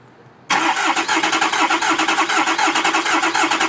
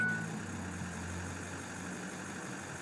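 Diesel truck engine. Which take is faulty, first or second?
first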